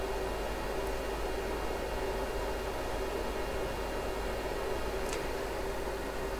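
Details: Riden RD6012 switch-mode 800W supply after a fix for earlier failure, 60 V out, electronic loads stepping from 120 W toward 720 W, heatsink starting at 26 °C: steady even fan rush, faint constant hum, no rattle or wobble; normal under load.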